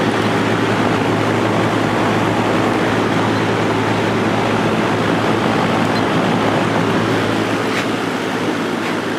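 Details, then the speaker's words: Vintage Lakewood Penney's window fan, Redmond 3.4 A motor, after blade balancing, on high speed: steady even whoosh with low constant hum, no wobble or rattle; runs smooth and balanced. "yeah I'm pretty happy with that obviously it still needs to be cleaned and everything but uh it's working it's working just fine"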